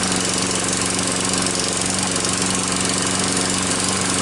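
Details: Troy-Bilt mower engine rebuilt with parts from another engine, started after sitting four hours: steady, even drone with constant pitch and no knocks or misses; normal running.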